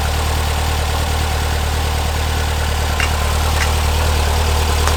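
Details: 1970 VW Bus, brand-new flat-four engine just installed, first run: steady, even beat, loud but clean, no knocks or misses; spilled oil burning off the exhaust; normal running.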